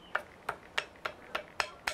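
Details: Front suspension of a car: eight sharp, evenly spaced taps about three per second; loose play in a worn front ball joint, no repair possible, replace the ball joint or whole control arm.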